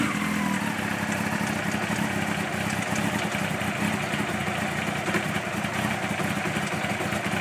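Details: 1992 Honda CBR900 motorcycle at idle: fast light ticking steady over the hum; owner suspects timing chain or cam chain tensioner, or something else, cause unconfirmed.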